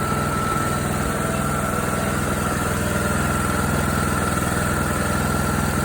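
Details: John Deere D105 with Briggs & Stratton Intek 17.5HP single-cylinder, which seized from oil starvation while mowing; after circulating oil and fitting a new Champion RC12YC plug it restarts on choke and runs steady, even idle, no knocks or misses; long-term survival uncertain.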